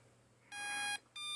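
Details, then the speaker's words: HAKRC flight controller/ESC stack that flew fine for 7–8 packs then failed after a battery swap, no buzzer: two short high-pitched electronic beeps repeating as the FC keeps restarting; repeated beeping with reboot loop, cause unknown. "When I go to turn it on, it does that beeping, but with an FC on it, it just keeps restarting over and over."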